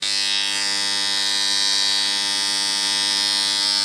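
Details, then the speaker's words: Motor starter making loud noise: a loud, steady, harsh electrical buzz from a contactor not pulling in cleanly, before a simple homemade fix. "शेतकरी मित्रांनो तर तुमचा जर हा starter अशा प्रकारे जोरजोरात जर आवाज देत असेल तर त्याच्यावर आपण एक सिम्पल उपाय आणलेला आहे"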